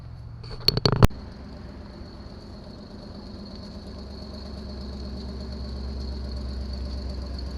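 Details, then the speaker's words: 1974 Chevy Nova being readied for autocross, after a suspected fuel issue: a few clunks at start, then the engine settles into a smooth even idle with no stumbling or dying; normal running. "um seems pretty good yeah it does"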